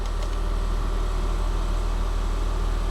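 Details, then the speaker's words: RV at auction that has an exhaust brake, engine running: quiet, steady idle with about two even pulses a second and no knocks or whine. Normal idle that sounds great. "you can barely hear it it sounds great"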